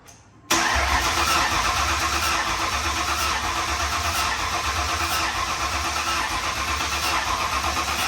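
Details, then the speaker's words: Newly built 5.0 V8 in a Fox-body/SN95 Mustang with new BBK headers cranks evenly about eight seconds but never catches; no spark snapping heard, fuel confirmed at the line. Cranks, no start; no spark suspected. "here hold on let me see if we're getting sparked okay try it [Laughter] I don't hear it snapping"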